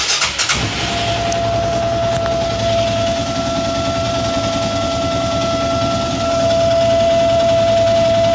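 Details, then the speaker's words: Arctic Cat Prowler UTV with engine running; steady high-pitched whine from the fuel pump holds constant; failing fuel pump, replaced along with the regulator. "check this out. Does your fuel pump sound like this?"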